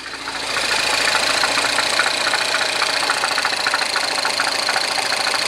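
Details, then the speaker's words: R56 Mini Cooper S, freshly rebuilt engine, first oil change, just fired up: light quick ticking about three per second over the idle from the top end; owner suspects hydraulic lifters, not confirmed. "we still have that top end tapping slash rattle what I'm thinking it is probably the hydraulic lifters"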